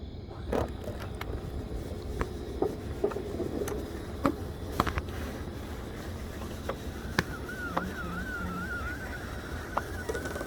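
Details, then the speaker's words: 2004 Country Coach HWH slide with Brustor awning topper retracting after penetrating oil on the topper hinge pivot: steady wavering motor hum with light clicks, no grinding or binding; now working much better. "right it's working hallelujah oh yeah oh I like that much better much better"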